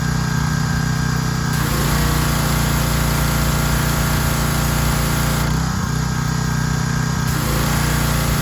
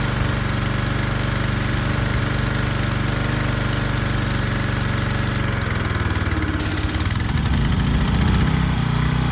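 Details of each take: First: Troy-Bilt 2700 PSI pressure washer after pump head replacement and unloader adjustment (had been stalling): steady, even engine drone with constant pitch, no surging or stalling; running normally. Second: Troy-Bilt 2700 PSI gas pressure washer, just repaired with a replacement pump head and running with only the red tip fitted: small engine chugs steadily, then sags and labours and nearly stalls as the pump loads it; unloader valve misadjusted, bogging the engine.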